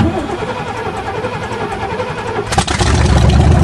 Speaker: yes what a car sweet always trust your Chevrolet to start on a cold day it is a Chevy 350 5.7 in there